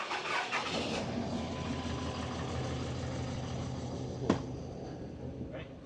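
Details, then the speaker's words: Cummins diesel truck with loose valve lash just adjusted, injector kill test via scanner, cylinder 1 killed making it run rougher; cranks, catches, uneven loping idle with skipping beat; one dead cylinder suspected. "So, cylinder 1, kind of hard to tell on the video, but we just killed cylinder 1, and it did definitely change how it runs. It's running even rougher than it is, if you can believe it."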